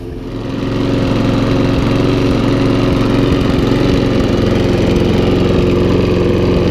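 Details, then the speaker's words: Briggs & Stratton Sovereign mower revived after two years unused, fresh oil and cleaned spark plug, smoking at first: after about 15 minutes running, steady even drone with firm low beat, no misses, knocks or smoke; cleared out and running cleanly. "okay so as you can see that's been running now for about 15 minutes or so and it wasn't smoking at all whilst it was running so it's all cleared out now"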